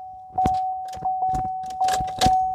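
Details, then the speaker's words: GMC Sierra truck, winter, won't start, battery lights still on: sharp single clicks from underneath about every half second over a steady chime, engine never turns over; starter solenoid clicking, starter to be tested. "아래에서 뭐가 딸깍 딸깍 소리로 나고는 안 걸리네요"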